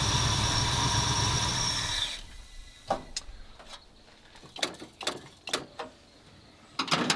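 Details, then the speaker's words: 1977 Ford F250 351M, Duraspark II, warm engine, carb idle mixture 2 turns out: rough idle for two seconds, then cuts out and dies with scattered clicks; owner suspects dirt in carburetor, later also fouled spark plugs. "Don't know why it died. Try it again. So, it's exhibiting symptoms of which it had before, of a dirty something in the somewhere of the carburetor."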